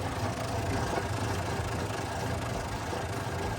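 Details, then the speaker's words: Starter taken out of a 1966 Chevrolet C60 barn find idle about 30 years, bench-connected: harsh rough continuous whirring grind; starter sounds terrible, later failed to work and got very hot. "this is the starter out of the C60 and I would hook this thing up and it would sound terrible whenever it was starting"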